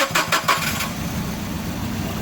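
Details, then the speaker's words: Nissan engine with a customer complaint of rough running, cranked and started: it settles into an uneven, lumpy, stumbling idle. Single-cylinder misfire, traced to a faulty ECU ignition signal. "all right let's compare him it is really running rough it feels like a single cylinder mess"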